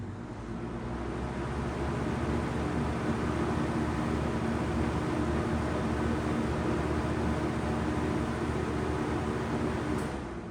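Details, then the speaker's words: Vintage Lakewood box fan, not yet cleaned or oiled, switched off to spin down: a steady, even whoosh with a low blade hum and no rubbing or ticking, easing off smoothly; a good spin-down with free-turning bearings. "So we'll crank it up this way and watch spin down one more time before we call it a wrap."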